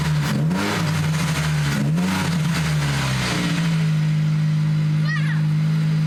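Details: SVT Focus Mk1 with newly installed CPT cold air intake, revving in neutral. Smooth note climbing and falling with each throttle blip, then settling to even idle, intake sucking audible; normal revving.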